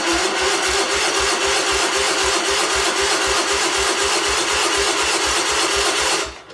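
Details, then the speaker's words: 1977 Sears 16/6 tractor with an Onan engine, after carb rehab, new plug wires, solenoid and used points: the starter churns slowly, about four strokes a second for six seconds, with no firing. Cranks without starting; spark untested. "Well, it's cranking over, not very quickly. I have no idea if I have spark because I didn't put a spark tester on it, but I'm just going for broke here."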